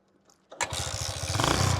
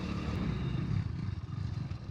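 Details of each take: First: 27-year-old Hero Honda Splendor Plus, after the spark plug that had been pulled out was refitted: silence, then the single fires at once and settles into a quick, even putter; normal start. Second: 27-year-old Hero Honda Splendor Plus on E20 ethanol petrol, riding: uneven chuffs near three per second with sharp pops while coasting down; owner says it is misfiring, cause unconfirmed.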